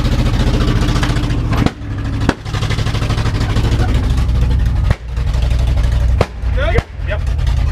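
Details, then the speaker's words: Loud truck at rough idle, ignition timing not yet set (a timing light is still needed): about six sharp, gunshot-like bangs in eight seconds, each dipping the revs. Owner says it's just cleaning up; backfiring, cause unconfirmed. "Dude, this thing is so fucking loud. It's crazy. Ow. It literally sounds like a gunshot every time. That's just it cleaning up."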